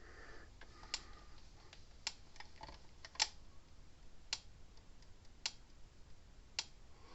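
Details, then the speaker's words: Gallagher M800/BEV3/M1500 fence charger after retrofitting an epoxy-encased output transformer: sharp, crisp ticks about once a second, much quieter than before because the epoxy muffles the transformer, with output unchanged; normal fence charger pulse. "See, it's a lot quieter than what it was. You know, you guys didn't hear it at the beginning. If you got one of these things, you know what these normally sound like."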